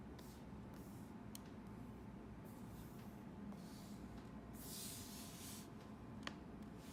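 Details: MacBook Pro 2016 in a quiet room: a few sharp, isolated pops several seconds apart, occurring on first opening on a cold morning and 3-5 times in the first 10 minutes; popping believed linked to temperature changes.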